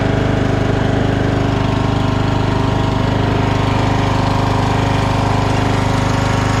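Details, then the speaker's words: 2001 Cub Cadet 1170 lawn tractor, running and driving: steady engine with a hard, even metallic clatter from the transmission and feel in the pedal; a blown transmission gear is reported. "it does drive as you could tell but it does not feel good you can feel some things in the pedal you can hear some metallic clanking going on in the trans"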